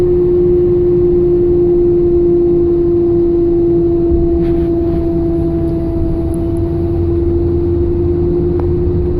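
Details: 2002 Chevrolet S10 with engine running: a steady whine or hum holding one pitch throughout, clearly audible, cause undetermined.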